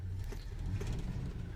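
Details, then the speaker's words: 1969 Jeep Wagoneer, warmed up after a cold start: low, even exhaust rumble at idle with no knocking or misses, possibly a slight exhaust leak; oil pressure good, temperature fine. Normal warm idle. "Maybe sounds like just a little exhaust leak or something, maybe, but now she's humming along."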